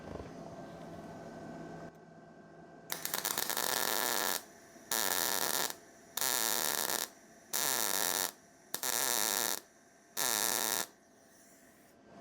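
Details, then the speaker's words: MIG welding demonstration of a bad weld with voltage turned down; half a dozen short bursts of rough, crackly sputter instead of smooth sizzle, cold weld sitting high with likely poor penetration. "So, now I'm going to try to demonstrate a bad weld. So, I'm going to turn my bolts down and let's see what happens."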